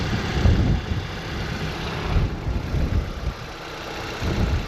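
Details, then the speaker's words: Petrol Audi TT idling after a five-month misfire hunt (plugs, coils, injectors, compression, cylinder head rebuilt): steady even rumble with no stumble or shake as idle settles; misfire apparently fixed, now a normal smooth idle. "That's good. Sounds good. It doesn't sound misfirey."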